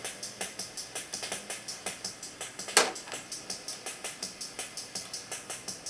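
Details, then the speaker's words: Sony Rhythm Capsule CF-900s/CF-9000 rhythm section: a steady, quick ticking drum pattern plays but very faint and thin even at full volume; owner suspects the switches, potentiometers and leaf switches need cleaning. "it does all work is just very faint so i'm pretty sure it just needs all the switches and potentiometers and the leaf switches for these here to be cleaned up to give it a better sound"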